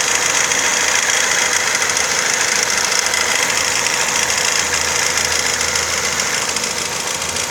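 Steady idle with a regular, fairly even tapping about three times a second over a hissy engine note; a knock from inside the engine, cause undetermined.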